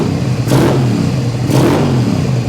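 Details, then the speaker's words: 2001 Suzuki SV650S after carb sync, previously running on the front cylinder only: two sharp throttle blips rise and fall cleanly with both cylinders pulling, but it smokes and sounds overfuelled; suspected faulty carb diaphragm, fuel filter or fuel shutoff. "I think this thing has just been so overloaded with fuel so we may have a problem with one of the diaphragms not operating properly in here"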